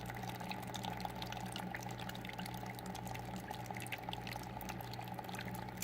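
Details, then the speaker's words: Aquarium filter running with filter media removed: soft steady trickle of falling water with faint drips over a low, even impeller hum; flowing normally. "some people hate the sound of the trickle but just for example you go from this sound to when I remove the filter media"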